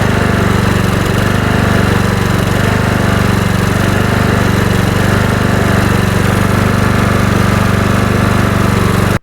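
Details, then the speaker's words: Kohler Courage 20 HP mower engine holding a steady, even drone with no surging after the hidden carburetor mixture screw was slotted and adjusted richer to cure a lean fuel-starvation surge. "Making the adjustment to the carburetor after making the modification did resolve the issue."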